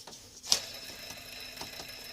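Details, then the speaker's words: Infiniti VK45DE V8 accessory drive with the belt off: a hand-spun tensioner/idler pulley gives a thin, gritty, high-pitched whir after a click instead of a smooth hiss, with slight play. Bearings judged worn (toast), replacement planned. "So does not sound smooth to me. Not good. Not to me. Bearings are toast."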